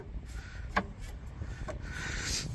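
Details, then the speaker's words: Two sharp metallic clunks as a worn rear sway bar end link is rocked by hand on a Mitsubishi Eclipse on jack stands during a rear shock and link replacement; the link boot is torn and the nut is seized with rust. "now these are probably going to fight us a little bit here these uh sway bar links you hear it clunking"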